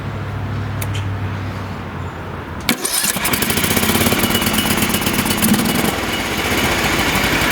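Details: Briggs & Stratton engine on a Toro TimeCutter Z480 that wouldn't start despite spark and good valves, first start after the flywheel key was replaced and the bolt torqued to 55–65 ft-lb, shroud off: brief pull, then a steady, even chug with no misses.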